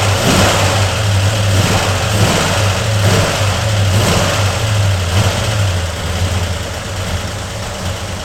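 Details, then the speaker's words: 1995 Ford Mustang SVT Cobra first start after sitting non-running, new fuel pump: revs up cleanly then settles into an uneven, loping idle, hard starting, no knock or rattle; owner suspects valve train or timing, unconfirmed. "Now, I am fully anticipate this thing not running good because something doesn't sound happy with the valve train or the timing or something."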